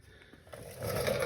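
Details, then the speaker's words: Electric scooter hub motor wheel: rough scraping rattle as the wheel spins from a bad wheel bearing, usually one side, with rust visible; 6003 2RS bearing needs replacing. "if you're hearing this noise chances are you have a bad bearing on either side usually it's this side that goes bad"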